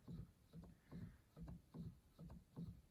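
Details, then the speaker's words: Yamaha G5 grand piano action, treble section: soft, muffled thumps about once a second with no clacks or buzz; quiet, even action as it should sound, unlike the middle and bass where jack regulating noise is suspected. "You can hear everything moving, but it's very quiet."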